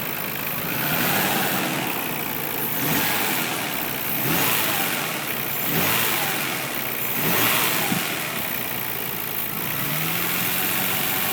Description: Rb26dett weird noise sounds like a spun bearing